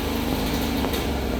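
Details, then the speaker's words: Isetta being restored, running after replacing the Dynastart, fan still off, probably nearly out of fuel: small single-cylinder engine with a steady, even putter and light buzzy note, no misses or knocks, sounds good. "But we got it running. It sounds good."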